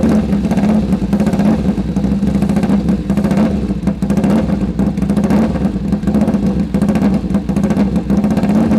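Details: Sidecar motorcycle engine on its first start after a full rebuild: fast, even firing pulses over a steady low drone with no knocks or rattles; sounds sharp and healthy, normal running.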